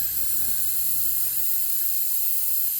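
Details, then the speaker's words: 2011 Honda Crosstour A/C system that had not worked for years; constant high, airy hiss with no rhythm as refrigerant escapes from a pinhole the suction hose rubbed through against a plastic tank ridge; noise changes when the hose is moved. "on this plastic tank, right here, this plastic ridge, put a hole. Hear the noise change? There's a hole in this suction line."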